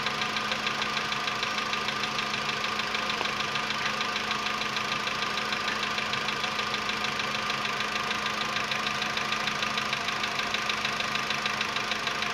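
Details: VW Polo Sedan CFNA engine, 105,000 km, cold start at 20 °C after sitting about 15 hours, before decarbonizing: steady idle with fast, even light knocking; cold-start piston knock.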